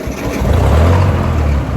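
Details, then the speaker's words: 1958 Ford 871 Powermaster Select-O-Speed tractor after new ignition parts and restoration, started in park: fires straight away into a deep, steady rumble with no misses or knocks; starts and idles cleanly. "And starts right up."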